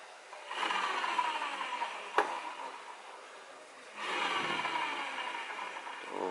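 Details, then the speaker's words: Honda Beat CVT pulley bearing spun by hand gives a dry, gritty rasp rather than a smooth whir; the bearing causes the humming heard when easing off the throttle. Worn pulley bearing. "kita pakai ini suaranya kasar ya kalau kedengeran ini suaranya kasar tuh ini kalau kenceng pasti mendengung"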